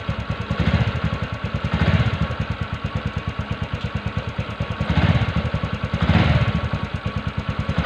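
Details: TVS Ntorq BS6 scooter idling after kick start, auto choke having dropped rpm: steady even low putter, regular firing pulses, no knocks or misses; runs smoothly.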